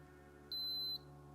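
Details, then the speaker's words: Canon AE-1 Program battery check button pressed: one steady high beep about half a second long, then a very short one, meaning a weak battery with some charge but not sufficient. "oh one long beep very short beep like this battery has some more juice than the other one but this isn't this isn't sufficient too"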